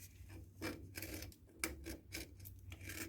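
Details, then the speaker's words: Yanmar YM186D tractor brake inspection, mud built up inside drum; slow rough rasping strokes, about two a second, as a hand rubs the drum face, revealing scoring; shoes to be replaced, drum possibly resurfaced. "It's got some scoring. So I'm going to replace those shoes. I think I'm going to see if I can take this and get it resurfaced."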